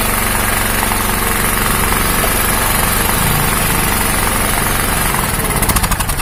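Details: 2000W genset with a Honda GX160 engine, after the faulty ignition coil causing the up-and-down hunting was replaced with a compressor's coil. It holds an even, steady beat with no speed hunting and runs normally.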